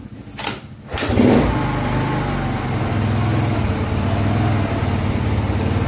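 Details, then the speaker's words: Yamaha Mio Soul carbureted scooter after rebuild (seized, locked connecting rod from oil problem; cam and rocker reconditioned), first start once reassembled: quick crank, catches and settles into steady even putter, no knock, oil rising; normal start and idle. "nah sekarang kita coba Nyalakan untuk suara dan olinya sudah mau naik"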